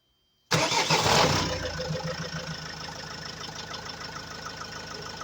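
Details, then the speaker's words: Opel Vivaro (2002 per description; owner also says 2021) with Renault 1.9 L diesel, after replacing air flow meter that caused power loss stuck at 2000 rpm: cranks, catches at once, steady even idle, no misses; normal start and idle. "Mais franchement, là, il tourne comme une horloge, vous l'entendez, hein. Le bon vieux moteur 1,9 litre de chez Renault, il tourne nickel."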